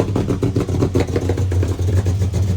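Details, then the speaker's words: Car brought in for running poorly; lumpy, uneven low engine note with irregular surges and dips as it revs, running rough; MAP sensor or O2 sensor suspected (O2 replaced a couple of months earlier, moisture suspected), not confirmed. "Not run too good. That's why it's here."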